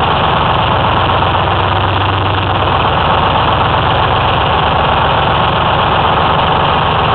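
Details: 2004 Ford F-350 with 6V53 Detroit Diesel two-stroke and MT-653 Allison automatic, just started after installing an eBay rebuilt blower (old one leaked oil at end-plate seals): loud even idle, steady low drone, no knocks or surging; normal idle.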